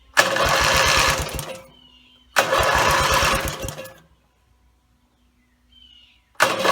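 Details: Rebuilt Briggs & Stratton mower (carb rebuilt and filling, timing dots aligned, valves seated, compression unknown) gives three steady cranking chugs of about 1.5 seconds each with no firing; gas later leaked from the muffler bottom, and the owner suspects a fuel-delivery problem.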